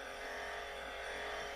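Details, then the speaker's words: Early-1960s Browni TTR 402 high-fidelity portable tape recorder in record mode: steady whirring drive-motor hum with a fine buzz and no wobble. The motor is noisy, which is normal for this type of recorder. "So let's flip this into record. And we'll push play record. And the motor is making a lot of noise."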